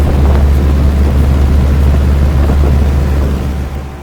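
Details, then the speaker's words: 2016 Lasko heat pump in heat mode at about 22°F, coil damaged: loud, heavy, low droning roar with a rough edge; the compressor sounds strained and angry in the cold. "yeah listen to that I don't remember alasco heat pumps sounding this angry before it sounds nice too but man doesn't sound angry when it's in the 20s"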